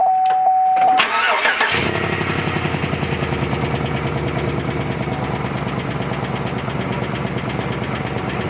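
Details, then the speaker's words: 2003 Chevrolet Suburban just after fuel pump replacement with new fuel lines: brief crank, then the engine catches cleanly and settles to a steady, even idle with no misses or knocks; normal start, no leaks. "All right, leak test done. Engine running."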